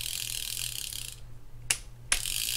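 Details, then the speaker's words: Penn International 30VSW fishing reel after servicing, tested: even whirring while cranking, with sharp clicks at the low/high two-speed shifts. Free spool is good; slight knocking comes from the drag section. Normal gear operation. "There's a free spool. Sounds good. That little knocking is from the drag section over here on this side."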